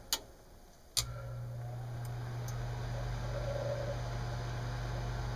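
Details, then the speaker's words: Lennox mid-efficiency furnace after inducer motor replacement (old one noisy, bearings suspected shot): click then smooth, quiet, even hum, no rattle or grind; healthy. "okay motor is replaced and we're going to turn it on and we'll hear how much quieter it is"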